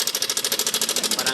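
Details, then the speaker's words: Yamaha Aerox scooter at idle, owner complaint of a noisy engine: loud, fast metallic hammering, about fourteen blows a second over the idle, helicopter-like; suspected cam chain tensioner. "tunog helicopter ah. At parang may nagpapanday sa loob ng kanyang makina."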